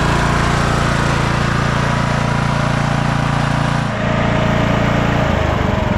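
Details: 2004 MTD Yard Machines Gold lawn tractor engine after a carburetor cleaning (needle and seat good) and an oil change: a steady small-engine drone with a clean, even beat, its pitch shifting smoothly with throttle near the end. It is running well.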